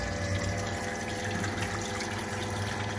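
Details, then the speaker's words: SEAFLO 56A variable-speed on-demand 5-chamber diaphragm water pressure pump, with flow increased: a steady motor hum with a smooth pulsing buzz and rushing water. It speeds up and slows down with demand without cycling; normal variable-speed operation. "And I'm gonna increase the flow and let's see the pump speed up. You can hear it speed up, slow down"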